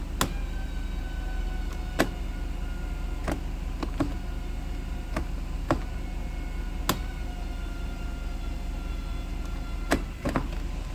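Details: 1991 Mercedes-Benz 500SL automatic transmission: a thin, faint squeal drifting in pitch with scattered sharp clicks over engine rumble on the 1-2 upshift from 1st gear; it does not seem to affect operation.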